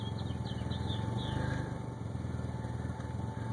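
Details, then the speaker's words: DSM turbo car at idle, piping connected and turbo spinning freely: fast uneven pulsing idle that hunts rather than settling; owner suspects a major vacuum leak. "so I started up the obviously see I got a major vacuum leak somewhere"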